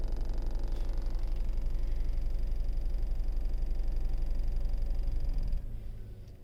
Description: Skoda Kushaq rattling noise observed between 1000-2000rpm